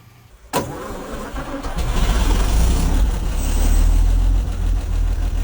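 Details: 1954 Chevrolet 150 revived after sitting, first runs: cranks, fires and runs with an uneven, lumpy low beat that never settles to a smooth idle. Owner suspects a clogged carburetor and plans to clean it.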